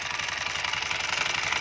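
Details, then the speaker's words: Honda Scoopy 110 carbureted scooter with a customer complaint of vibration at the CVT; steady idle with a harsh, buzzy rattle over the engine beat, rough vibration from the belt-drive side. "suaranya tuh suara Kasar banget nih dari pipinya itu ini aku goyang semua nah ini suara kasar nih"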